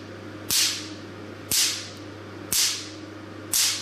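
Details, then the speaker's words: Forimi Cool Blue Shark 600 ps picosecond tattoo-removal laser firing onto paper inside plastic bag, stability test from low energy: sharp crisp even snaps about once a second over low hum; crispness shows short 600 ps pulse, normal. "So you can hear the sound is very crisp. The sound very crisp and very loud. It means the pulse was very short."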